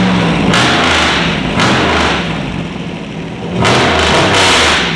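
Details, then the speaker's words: LS V8 swapped into a BMW E46 with unequal-length headers, after everything was checked over: strong, clean rev blips that rise and fall smoothly with no tapping or misfire. Normal revving. "kind of sounds like correct to what you would think in unequal lengths manifold LS would sound like"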